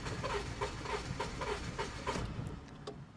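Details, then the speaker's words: 1998 Honda CR-V EX-L, unmoved six years, all four cylinders showing misfires, no throttle: engine catches in weak uneven pulses, three or four a second, then fades and dies; won't idle on its own, cause unknown. "so this is without acceleration it wants to start but it doesn't it can't on its own"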